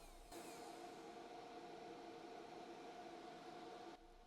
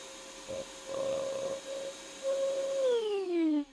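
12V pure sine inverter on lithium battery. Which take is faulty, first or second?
second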